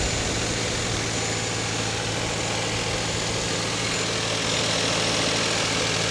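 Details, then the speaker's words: Damaged salvage-auction car with low coolant, on a cold morning. Idle sits slightly raised with a smooth hum and no knocks or misfires, then drops as it reaches operating temperature; not believed overheated: high idle during warm-up. "now she's coming down a little bit now she's slowing down she just had to reach operating temperature I guess"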